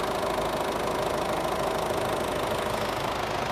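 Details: 2007 Ford Everest turbo diesel, rear-wheel drive: steady even diesel clatter at idle, no misses or heavy knocks; engine sounds healthy and smooth, normal idle.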